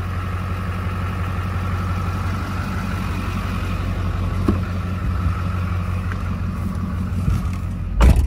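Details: Duramax diesel with fairly fresh rebuild, after fixing typewriter tick, just cold started with glow plugs, recorded outside: deep, even idle rumble with no sharp ticking on top; valvetrain quiet, engine smooth.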